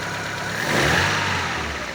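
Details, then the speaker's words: Daewoo Lanos 1.5 with restored caliper, timing belt tension and alternator belt rechecked and tightened; left-side caliper works quietly, with a smooth, even hum and no knocks or ticks; normal running. "Ну і все далі ліва сторона супорта ну працює тихо"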